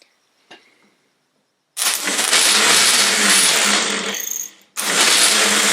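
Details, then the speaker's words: Triumph Herald 13/60 rebuilt Spitfire-spec engine, starter spinning without engaging the flywheel (clearance suspected), bench-tested off the car: loud even whirr that cuts out and spins back up; starter motor runs freely, normal. "the first thing I'm going to do I'm disconnect the stter mote and bench test it just to check it does spin up"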